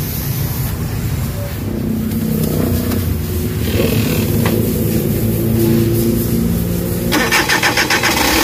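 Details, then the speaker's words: Suzuki DA64/DA63/DA17 with engine vibration when AC on, after replacing a burnt, overheating wire: engine starts and idles smoothly, revs rise steadily with AC on, no stumble. "Kita niyo tumaas yung RPM ibig sabihin okay yung andar ng MA"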